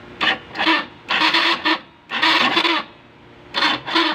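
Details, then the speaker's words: Honda Wave CX 110 with a weak battery, ignition on in neutral, push-start pressed: short bursts of dry raspy scraping, no real cranking; starter suspected dirty inside with carbon deposits, to be cleaned. "mga mga idol may naririnig kayong kakaibang tunog parang kumakaskas So yun ang titignan natin"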